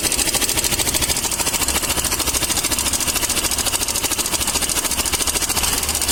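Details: Suzuki Access BS6 scooter at idle: fast, even metallic ticking at about 160 per minute over the idle, typical of a slack cam chain from a worn cam chain tensioner.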